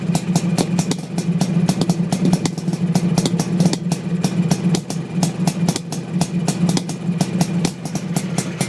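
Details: Suzuki GT500 two-stroke with an uneven idle, irregular sharp pops and gaps in the firing rhythm. A cylinder is misfiring, cause not yet known.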